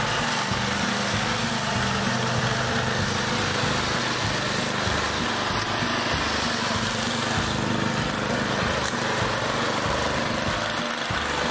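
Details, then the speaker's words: Homemade snow dog, small engine chain-driven, run outside in snow: holds one steady, fairly low speed with no climb; the throttle likely gives too little throw so the engine can't reach full RPM, and gearing may need changing. "but it's not it's not rubbing up the RPM so it'll probably go a lot faster and I may have to change the gearing"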